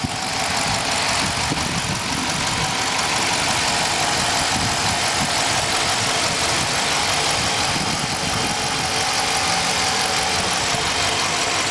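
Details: 2020 Dodge Charger Police, 5.7 HEMI V8, AWD, 133,000 miles, fully serviced with a new air filter, cleaned throttle body and iridium plugs: smooth, even idle under a steady fan hiss, no misses, ticks or knocks; healthy.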